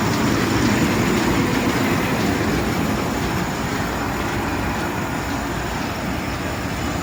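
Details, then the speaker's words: Gleaner combine at auction preview, running warmer than the owner would like, header down, reel and auger engaged: busy even clatter and rumble from header and separator at constant pace, no knocks or grinding; sounds pretty good, normal running. "Yeah, it sounds pretty good. Auger is working. No weird noises over here."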